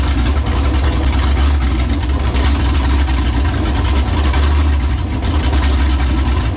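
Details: New LS 383 V8 in Deathwish on break-in oil, first fire-up: deep, lumpy idle with uneven loping pulses and throttle blips. Untuned and running "pig rich"; the tune is not remotely close.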